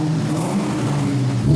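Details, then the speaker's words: Ford Terminator Cobra V8 after adjusting the exhaust clamp on a slightly crushed, crusty exhaust; deep even rumble with a small rev near the end, no ticking or puffing from a leak, normal exhaust note. "Guys, I love the sound. I love it."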